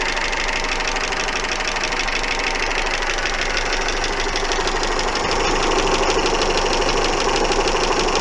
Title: стучит двигатель